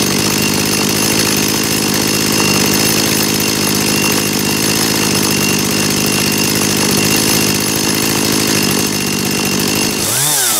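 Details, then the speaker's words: Dolmar two-stroke chainsaw after carburetor cleaning: idle set via the S screw to 2800 rpm (±10–20), steady idle, one crisp rev with good throttle response, settling back evenly. "ihr habt gesehen ich habe die 2800 Umdrehungen erreicht plus minus 10 20 Umdrehungen darüber und mal herunter"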